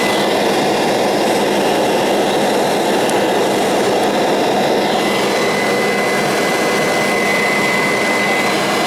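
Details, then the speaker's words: Kirby Sentria 2 vacuum with a retrofitted metal fan: strong, steady high-pitched rush with a clean, even tone and no rattle or scrape. Normal, healthy running. "and here is one of my favorites and sounds pretty nice sentry to with the retrofitted metal fan here we go"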